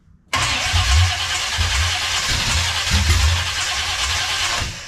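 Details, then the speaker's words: 1970 Chevelle with Holley Sniper 2 fuel injection, first start attempts, no throttle, timing being adjusted: several seconds of steady churning cranking with rough pulses, engine never catches; cranking no-start, timing suspected off. "Go ahead and don't give it any gas. Just crank it."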